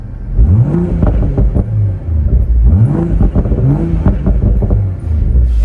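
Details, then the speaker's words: BMW Z4 M40i B58 inline-six, heard from inside cabin with top down: deep growl sweeping smoothly up and down through several revs, clean and even over music; normal engine revving. "want to show you how it sounds from the inside of the car. This is top down, so you get to hear that B58 just a little bit"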